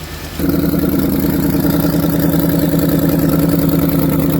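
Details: 2007 Ford Explorer 4.6 L V8 with white smoke, water burning, overheating and thermostat removed: engine catches and settles into a loud, uneven, lumpy idle; misfire.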